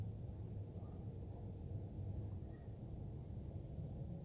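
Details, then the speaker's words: 2004 Dodge RAM 1500 SLT with the 5.7 Hemi, after replacing an alternator whose worn bearings made noise. Low, even rumble at idle with no whine or bearing growl; normal idle, alternator noise gone. "this is the pick so there's no more noise uh coming from the alternator so i guess uh this would be the pick"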